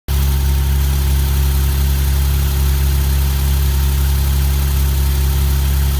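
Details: Alfa Romeo GTV6 petrol V6 that misfires and stalls. Deep, uneven idle beat with the rhythm faltering as cylinders miss. Misfiring rough idle.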